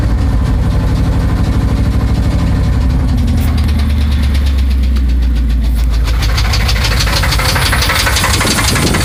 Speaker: okay I have an 82 Chevy and it's making a knocking noise